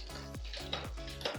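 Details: Rear derailleur after setting cable tension with the barrel adjuster: clean single clicks about every half second as the chain steps down the cassette, no rattle or grinding; shifting is crisp.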